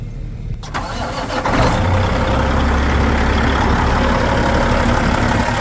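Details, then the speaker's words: Grandpa's Peterbilt that sat 5 years, later driven 1,200 miles: big diesel cranks briefly, catches within a second and settles into a steady, even, low rumbling idle with no knocks or misses; cranks right up, normal cold start. "So sat for 5 years, and you're telling me this thing cranks right up? Yeah, it cranks right up."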